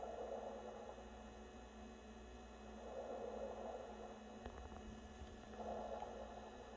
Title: NewAir 6" 7-Bottle Compressor Wine Fridge makes loud underwater gurgling sounds